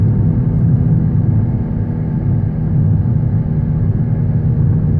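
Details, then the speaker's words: 2013 Honda Civic, under 90k miles: a distinct low droning hum at road speed, louder over recent months, rising with acceleration and still present in neutral; seems to come from front driver's side; owner suspects a front wheel bearing, needing further testing. "The sound increases as I accelerate but I still hear it even when I'm in neutral, so I think it's a wheel bearing. The noise seems to be coming from the front driver's side, but I'll need to do further testing."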